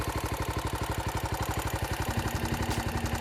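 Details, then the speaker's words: 2012 Honda XR650L with FMF Q4 exhaust, smog kit removed and performance air filter: steady quick ticking, about four per second, over a smooth idle; new ticking, bike runs well; valve train tick, cause unclear. "there's a ticking sound that wasn't there before I don't know if you can hear that it doesn't sound too loud and it the motorcycle doesn't seem to care it runs great"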